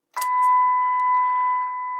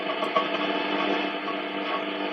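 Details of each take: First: Eddystone EC10 receiver after oscillator and dial alignment, tuned to 1400; a clean, steady tone with no hiss, warble or drift; the receiver is receiving properly. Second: Eddystone EC10 shortwave receiver after a full multi-band alignment, tuned around 20 MHz indoors without an outside aerial: dense hiss and buzz, then choppy crackles and fragments while tuning. Indoor interference swamps reception.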